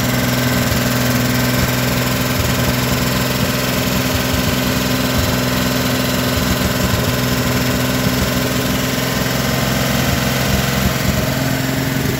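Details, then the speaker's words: 1957 Chevrolet 210 V8, revived after sitting since 1991, idling on a makeshift gravity fuel feed into the carburetor. Steady, even burble with no misfires or knocks. Normal idle. "that'll be the next major hurdle being the engine runs pretty good you know and get a sufficient gas supply"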